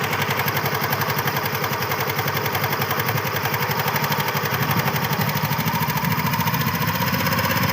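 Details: Honda Activa 2026 scooter, unusual engine noise: fast, regular pulsing beat of about four per second over the idle that slowly builds, no clear cause given.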